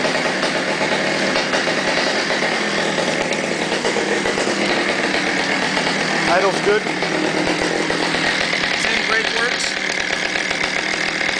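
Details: Stihl 009 chainsaw on stabilized gas, not started in 3–4 months: steady buzzy high two-stroke note without stalling or surging, clean idle, runs strong once going; temperamental to start after sitting a month.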